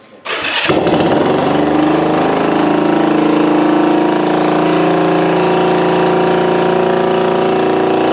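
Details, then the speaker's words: Restored 1965 Honda CB450 Black Bomber DOHC twin, first start on choke after going back in the frame, throttle possibly not working: catches after a short crank and settles into an even, steady idle with no knocks or misses. "yeah I don't think my throttle's working but that's a runner sounds good"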